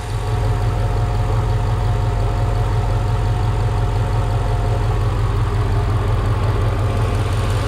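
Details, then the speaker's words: Mercedes E55 AMG (M113K V8), first start after splitting the cooling system: a steady low idle with light, quick lifter ticking, because the car had not run for about three weeks. "so the lifters are kind of tapping if you guys can hear them it's because it hasn't ran in a while so it's been like three weeks"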